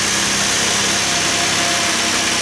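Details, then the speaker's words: Hyundai V6 with 120,000 miles, cold start after replacing the leaking valve cover gasket, no check engine light: engine ticks over evenly with a steady hum under hiss, no misses or knocks; smooth, healthy idle. "well no check engine light on so far so that's good runs pretty smooth for 120,000 on it"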